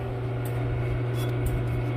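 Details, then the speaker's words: Chevy 2-door Tahoe (OBS) at steady low idle after a fix: no more belt squeak, only an even engine drone with no squeal or chirp on top. "damn there we go this is the best mod i've done yet look at that no more squeak"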